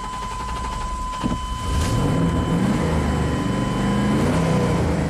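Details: 1998 Chevy Silverado 2500 5.7L V8 idling with an uneven lumpy beat and a recurring stumble; the misfire is smooth under load but shakes hard at idle; a badly fouled plug was found, and injector fuel-pressure drops tested about equal.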